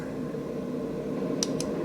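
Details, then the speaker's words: AC Infinity Cloudline S6 inline duct fan in a 4x4 grow tent, switched from speed 2 to 3 of its 8 speeds: soft, even airflow hum with no rattle or tick; running smoothly. "This fan has 8 speeds. That's number 2. There's number 3. You probably can hear the fan now."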